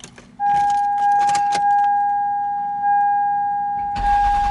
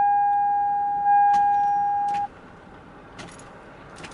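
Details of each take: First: 2001 Toyota Sienna: steady chime, then short crisp crank catches quickly and engine settles into an even run; normal start. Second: 2001 Toyota Sienna with dim, flickering dash lights; the key turn gives a steady high whine for about two seconds with no cranking beat, then silence. Faulty starter, no crank.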